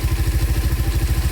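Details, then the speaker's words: Raider 150 Fi on a stock ECU taken from another motorcycle, warm engine: even, steady putter at about seventeen beats a second with no hunting or misses; clean, healthy idle. "Ang ganda yung minor ng makina mo. Ayan, steady kita mo naman, steady yan. Steady yung minor niya."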